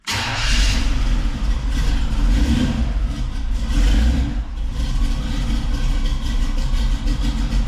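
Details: 1985 Chevy C10 after installing new dual-tank selector valve, sending units and fuel line, running on the new left tank, first start in a while: catches right away, blips up, then settles into a deep, steady idle with no stumbling.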